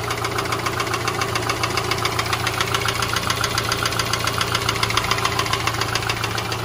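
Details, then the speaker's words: Subaru boxer petrol engine at idle with a fast, even, diesel-like clatter of three to four knocks a second that disappears when revved. Piston slap, present warm or cold, considered normal. "so now when I rev it you don't hear it see you don't hear it and then it comes down basically the Piston slab sounds like a diesel"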